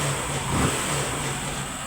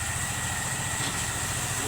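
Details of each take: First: Honda Pop 100 single-cylinder motorcycle after repair of an engine noise, finished and ready; running steady and even at a fast idle, no knocks or rattles over the low hum; sounds healthy. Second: Honda Pop 100 motorcycle after sitting a few days: a busy metallic rattle over the low idle thump that stops when revved and returns at idle. Found to be a loose magnet inside the flywheel, not the cam chain or piston others suggested. Loose flywheel magnet rattle.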